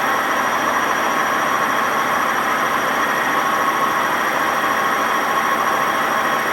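Loud, steady rushing roar with a constant high whine through a fast spin, typical of badly worn drum bearings.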